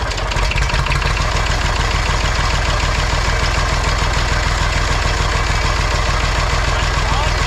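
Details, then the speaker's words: Massey Ferguson 35 tractor with Perkins A3.152 diesel, just after head gasket replacement: steady, even diesel chug with a deep regular beat, no knocks or misses; healthy idle. Later run to full operating temperature with no leaks so far. "all right she runs as good as she looks now"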